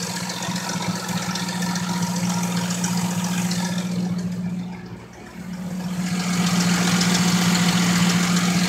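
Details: 1997 Lincoln Mark VIII on 10W-30 with a Motorcraft filter and a known intake leak: quick, even light tapping about three to four per second at idle; the owner suspects a loose timing chain, unconfirmed.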